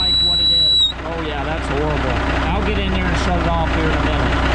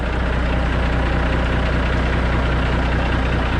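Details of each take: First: Air leak whistle from the 13-speed transmission splitter valve on a K100E Aerodyne cabover diesel, cold start, idling while air builds to about 60 psi: piercing steady high-pitched whistle cutting in and out over the idle. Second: Kenworth K100E Aerodyne cabover, 13-speed transmission, after splitter valve replacement: steady, even diesel idle with no hiss or whistle, air system holding toward 60 psi; the earlier high-pitch air leak whistle appears cured.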